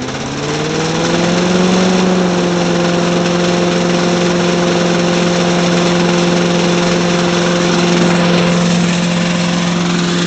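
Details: Little Wonder leaf blower repowered with a 5 HP Tecumseh snowblower engine, bracket reattached: steady even single-cylinder drone settling after a brief rise in speed, no knocks or misses, though housing vibrates heavily; normal running.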